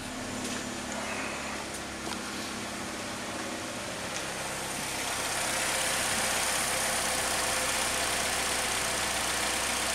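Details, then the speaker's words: 2004 Chevrolet Malibu Classic just after a 700-mile oil change: steady, even idle with smooth unchanging hum, no knocks, ticks or squeals; normal idle. "so now that the oil has changed and it's running good and it sound good"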